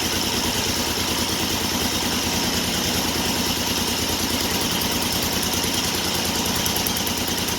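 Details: 1974 Triumph Trident triple after a Tri-Spark electronic ignition was installed, running on an external battery for strobe timing, at a fast, even idle with no misses, knocks or hunting; it sounds better. Normal idle.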